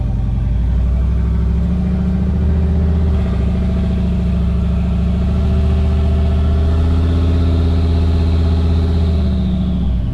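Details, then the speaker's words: Turbo V8 Chevrolet Avalanche (GT45 turbo, 4-inch downpipe) on first drive with exhaust cutout opened; deep, loud, even rumble swelling and easing with throttle, ground shaking, turbo audible: normal turbo V8 with open exhaust. "all right let's see let's open the cutout oh the ground is shaking"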